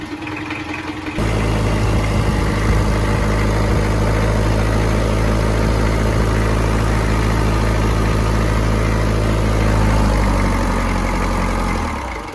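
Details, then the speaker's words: 1994 Isuzu Panther diesel, first owner, never rebuilt in 30 years, thermostat just refitted, temperature 82 °C: catches quickly and settles into an even, steady, crisp idle with no knocks or misses. "Renyah juga suaranya. Tapi anak bubuk ini rada kerapetan."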